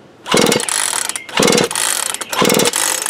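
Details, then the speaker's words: Worn-out Craftsman chainsaw bought for parts, compression gone: slow pull-over bursts with a loose metallic tick from the piston and rod motion, no firing; piston slap. "But if you listen real close, you'll hear it in there slapping, the motion of the piston and the rod."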